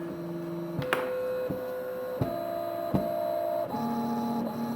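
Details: Hybrid stepper on CNC axis under load test, feed rate stepping up from about 50 inches per minute with rag friction applied; clean tonal whine steps up in pitch with each speed change, soft tick at every shift; runs smoothly.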